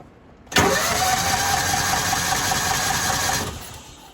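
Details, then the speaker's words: Kawasaki Mule 550 UTV, sat 2–3 years, fed from a bottle, breather just removed: about three seconds of steady cranking that catches now and then but never runs; sounds like it wants to run. "Okay, kind of sounds like it wants to run."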